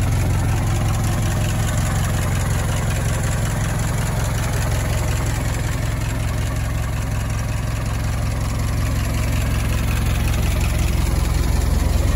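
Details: Barn-find Ford Model T farm truck at its first start in years: slow, loping four-cylinder idle with a steady beat of about 2.5 per second, running evenly with no knocks.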